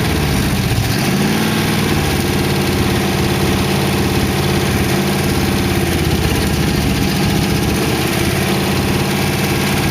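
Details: 1914 Dodge T-bucket roadster V8 warm idle after first start, mufflers fitted: low, even idle holding a constant beat, no tapping; lifters ticked at first start then calmed, sounds good.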